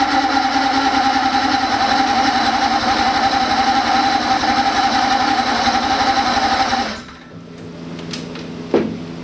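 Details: 1980 Ski-Doo Everest 500 fan-cooled two-stroke snowmobile, bottle-fed mixed gas; sharp buzzy rattle holds steady about seven seconds then cuts out. Engine fires and runs on its own.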